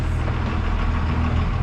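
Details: Cummins 24-valve diesel school bus just after its first cold start in about 5 months parked over winter: deep, even rumble with a smooth steady beat and no knocks or misfires, a healthy idle.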